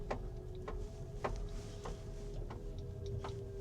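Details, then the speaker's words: Kia EV5 GT-Line driving slowly around a parking lot: loud, even taps about every 0.6 seconds, like someone knocking on the roof. Caused by a string-like object stuck in the tire tread groove striking the road. "Knock! Knock! Knock! It sounds like someone's tapping the car on the roof"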